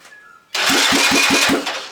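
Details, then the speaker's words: Restored Honda farm bike cranked with terminals wired straight to a bigger battery: brisk, even cranking, about five strong compression beats a second; healthy starter cranking, far better than before on the weak battery. "oh that's a much healthier [Laughter] crank awesome"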